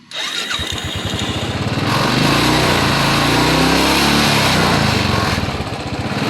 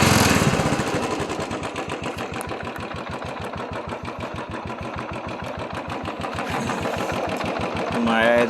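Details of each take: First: Royal Enfield Bullet that misfired after rainwater got into the fuel tank and carburettor, after draining the water: quick start then even, steady idle thump with no skipped beats; misfire gone, normal idle. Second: Royal Enfield Bullet single-cylinder at idle, with water in the carburettor fuel: the thump runs uneven, stumbling and skipping instead of a steady beat. Misfire from water in the fuel, cleared by draining the carburettor.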